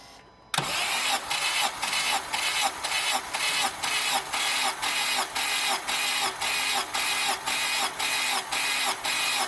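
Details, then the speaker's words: 2007 Honda Civic Hybrid, dual-spark-plug engine, compression test with the plugs out on one side and the coils disconnected: steady starter cranking with even pulses about twice a second and no firing, with a reading of about 140. "and what do you know we have a different number so we got 140 on here"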